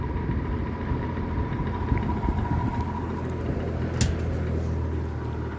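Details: Likely 1950s W. W. Welch Air-Flight 20" box fan, model 20W-U, with a Universal motor, freshly oiled: a steady low whoosh of air with a faint constant hum and no rattle or scrape; running normally on medium speed.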